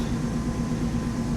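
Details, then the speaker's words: 1995 Mercedes R129 SL500 V8, 84,000 miles, first start after lower engine wiring harness and motor mount replacement: smooth, even idle with no misses, ticks or knocks; good oil pressure, no warning lights, nice exhaust note; normal idle. "Started right up. Sounds great. This car's only got 84,000 miles on it. Should be great. Good. Good job. Nice exhaust note."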